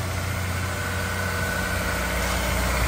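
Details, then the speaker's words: Honda S2000 after transmission, diff, clutch and flywheel work, with a new starter: quick crank and start into a steady, even, smooth idle with no knocks or misses; healthy. "a little starter sounds so nice when they're new that is a line right up you can hear how quick they start"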